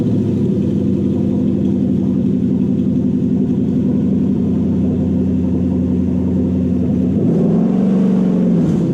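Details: Toyota Hilux/Vigo (KUN26) swapped to 1UZ VVTi V8 with new wiring and ECU: smooth, even rumble with a brief rev blip near the end; healthy running.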